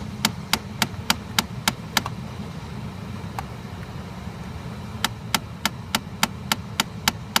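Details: 2013 Chrysler 200: loud, sharp, even clicking about three or four a second behind the glovebox near the cabin air filter, in runs with short pauses; happens constantly, even after sitting parked for long periods.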